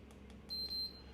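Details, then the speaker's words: Ebike that cut out without warning, right after a new motor install, turned on in a stand: two short, clear high-pitched display beeps as the assist modes are stepped through; all modes present and working normally. "All the modes are there. Everything's there."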